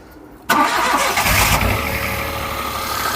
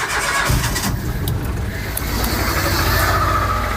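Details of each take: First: Peugeot 107 three-cylinder on a cold day, just after replacing the dead coil pack: quick crank, catches at once, then a steady idle with normal three-cylinder shake. Healthy. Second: Cold Peugeot 107 three-cylinder engine (Toyota Aygo/Citroen C1 type), diagnostic tool would not connect: catches and runs rough with uneven, lumpy stumbling idle, one cylinder dead; misfire from failed ignition coil pack, found by pulling coils one at a time.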